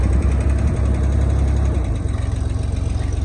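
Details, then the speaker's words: 1969 Chevrolet Corvair Monza, air-cooled six, first start after restoration work, warming up: rough, low idle with a light, fairly regular tick riding over it; owner suspects a lifter tick. "It sounds like we do have a lifter tick, as I maybe said earlier in the video."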